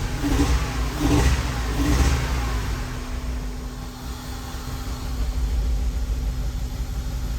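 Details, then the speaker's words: Honda Element, code P0301 misfire that appeared while driving around 31 miles; code cleared, engine blipped three times then lumpy, shaky idle with a missing beat, no leaks found: cylinder 1 misfire, owner awaiting blinking check engine light. "It's going to come on any second cuz it's detecting a major issue. It sounds really, really bad right now."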